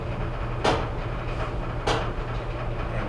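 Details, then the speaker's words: Whirlpool Duet steam dryer (WED94HEXW1) tumbling: steady hum with a scraping thump about once a second as the drum contacts the right side panel; repaired with replacement drum with seals (W10541657). "can definitely hear on the right side here uh the drum is coming in contact with the side panel so we're going to go ahead turn it off"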